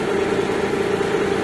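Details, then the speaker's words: Mitsubishi Galant V6 with misfire codes 21, 53, 41, idling smooth and steady with an even hum after its wiring continuity fault from the igniter was repaired and a loose socket under the air cleaner reconnected. Normal idle. "Yun oh okay na okay na siya umandar na"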